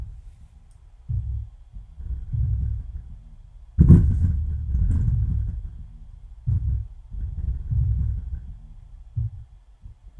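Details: Miller & Kreisel MX-70B subwoofer amplifier, previously distorted even with no input, playing from an MP3 player into a 6-inch test speaker: deep bass thumps clean and undistorted at lower volume, no crackle or hum; normal bass playback.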